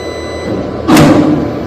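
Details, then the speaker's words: Monarch 1000 control panel motor tuning (F111 set to 1) on a gearless mono-drive lift motor, 2:1 roping, G+1 floor; faint steady high electrical whine, then a sudden rushing surge as the motor energises and the lift moves about 1 metre; normal auto-tuning. "Same மோட்டாரில் sound வரும். அதுக்கப்புறம் lift move ஆகும்."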